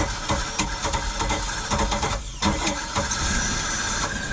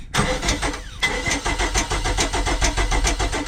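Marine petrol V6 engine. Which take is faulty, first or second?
second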